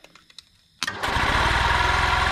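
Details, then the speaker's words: 1992 EZ-GO limousine golf cart, two-cylinder Robin engine, after sitting 16 years: brief crank, catches at once and settles into a steady, even quiet idle; starts cleanly, though owner suspects the fuel pump isn't drawing fuel well. "starts right up too how good that thing runs I cannot believe it after sitting that long"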